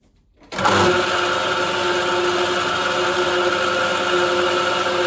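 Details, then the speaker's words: 1960s turret mill with an epicyclic planetary-gear head, recommissioned and everything tightened: the motor spins up in half a second, then holds a steady, even whine and drone with no knocks; runs fine, normal. "so everything's clamped up I've tightened everything up now I can report that all runs fine great no issues"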